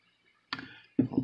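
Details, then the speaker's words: 1/8-scale brushless RC motor that had drag, ran hot and braked on throttle-off: shaft moved back and forth by hand gives two or three dull clicks, end play from a nearly worn-out bearing, which was then replaced. "alright that's the the shaft kind of moving back and forth which it's not supposed to be like that"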